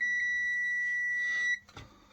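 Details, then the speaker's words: Caterpillar BB720/760 that cut out and cranks with no start, five active fault codes: single clear high meter beep about 1.5 s showing continuity on ECM ground pins 68/69; board's ground joints look broken/burnt. "we've got continuity there what's going on"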